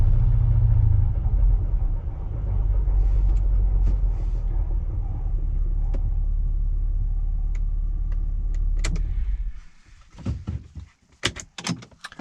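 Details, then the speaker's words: 2008 Saab 9-3 TurboX rolling at about 20 mph: deep steady droning rumble from the rear, fading as the car slows; not suspension or tires, traced to worn driveshaft bushings. "around this speed right here about 20 miles an hour i'm getting something in the back just a little bit"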